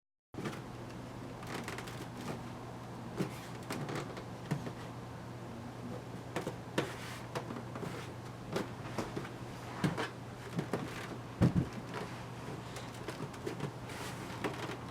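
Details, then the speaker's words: Viotek GN34C 1440p curved ultrawide monitor, lightly touched and held. Sharp irregular crackles and creaks from the thin plastic bezel over a low hum. Creaking plastic frame, flexing and cracking. "What I mean by that is just slightly touching or holding the monitor, the frame seems to make all kinds of crackling and compression noises."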